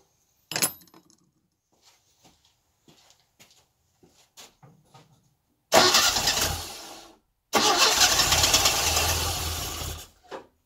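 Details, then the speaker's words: Classic Mini engine's first start after a distributor tweak, compression spot on; catches after a few clicks, runs clean for seconds, stops, refires to a steady idle on little carb fuel. "It runs. Cool. Need to obviously have a little tinker with why it's not going to be running permanently. But this is the first start."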